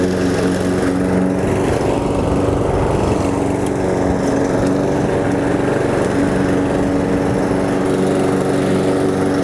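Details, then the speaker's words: Toro Personal Pace self-propelled gas lawn mower after repair: engine running steady, no drive belt squeal; squeal and drive failure were caused by a small piece of wood in the drive, now removed, belt fine. "so I'm going to start it up and listen for squealing but I don't think there will be any because that small piece of wood is gone"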